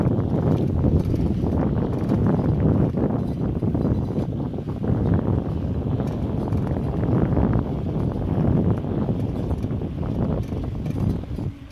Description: When I'm not pressing it, it makes that loud clang, when I press the left break (front wheel), it stops making the noise.